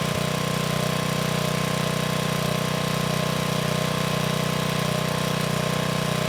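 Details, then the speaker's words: 1987 VoltMaster 4,000 W generator, 8 hp Briggs & Stratton flathead, about 34 years old, running better once choke was sorted. Steady even drone, smooth regular beat under load, no knocks or misses. "I then tried turning it on, and of course, it didn't like that. So once I figured it out, things started running better."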